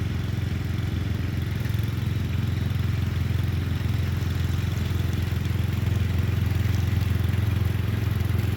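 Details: Murray Select 30-inch riding mower being fixed up, mowing on a slight incline with an unsharpened blade: steady, even low single-cylinder thrum holding speed under cutting load; cut decently, runs normally under load.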